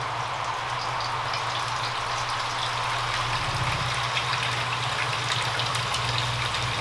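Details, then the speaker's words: WonderWash small electric washer (older model, no on-off switch, runs when plugged in) in an off-grid tiny house, draining into a bowl: steady low motor hum under rushing water, spinning faster with more vibration; normal spin-up. "You can hear it spinning faster and faster. That's all the more vibration it's getting."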